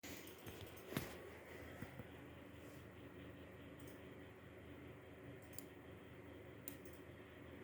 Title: small grinding noise from Asus RTX 3070 OC (LOUD)